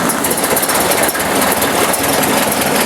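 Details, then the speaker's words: 1954 Ford Jubilee NAA tractor with a 134ci four-cylinder, just after a Pertronix 1244A electronic ignition conversion, out of gear: quick, even ticking idle with no stumbles or bogging, timing sounds good and smoother than before. "Timing sounds good too. No bogging. Nice smooth idle."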